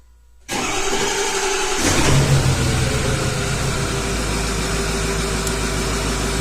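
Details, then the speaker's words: 2006 Ford F350 6.0 diesel, towed in for crank-no-start, after clearing debris that stuck the ICP pressure regulator open: short crank, then it catches with a brief rev and settles to a steady idle, ICP 1300 desired/actual; normal start and idle. "I guess we just had to build up oil pressure. Desired pressure 1300, actual pressure 1300, and pressure regulator percentage of 40%, 39-40%. That looks good."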